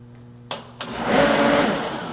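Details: Torpedo-style Reddy heater, 115 BTU, no-start troubleshooting, cover off, fan motor run directly by jumping the red wire to the black wire: two sharp clicks, then a steady, even whir without scraping or rattle; normal fan motor run.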